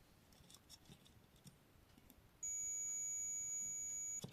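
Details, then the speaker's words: Multimeter in buzzer/continuity mode testing a component on an infrared cooker board; steady high-pitched tone for nearly two seconds, unbroken path, component is fine. "अगर आप यह continuity की आवाज सुन पा रहे हो इसका मतलब यह बिल्कुल ठीक है।"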